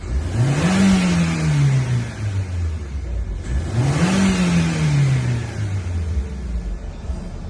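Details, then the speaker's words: After injector cleaning and clearing codes, revs now rise at once: two clean rev-ups rising and falling smoothly with no stumble or hesitation, where before it choked on throttle. "Gaz ko'tarishi ham. Gaz ko'tarib birdan ko'taryapti."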